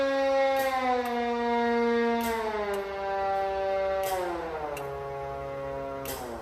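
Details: 2019 Q mechanical siren on a 2020 pumper, refitted with a late-80s chopper and clutch and adjusted: strong wail rising and winding down smoothly in steady steps, no stutter or slipping.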